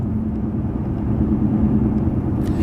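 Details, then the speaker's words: BMW E65/E66 cruising around 55 mph with a steady low droning roar under the car, loudest between 45 and 50 mph, like downshifting; worn tires rather than a bad wheel bearing. "you guys hear that right there that wall it's the loudest between 45 and 50 miles an hour right there"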